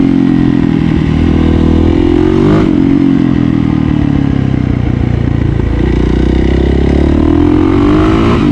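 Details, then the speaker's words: Yamaha YZ450F after a project build, ridden around the block with audio from a chest-mounted camera: a crisp single-cylinder bark rising and falling cleanly through the revs, no rattles or misses; the engine runs normally. "Got the chest mount on I want to see if this picks up audio It sounds so good"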